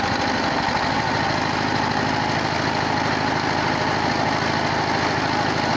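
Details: 22 HP single-cylinder diesel engine after repair of a worn rocker arm shaft and bush, broken rocker, head ground for low compression, and tappets reset: steady even thump, no valve-gear clatter; normal running.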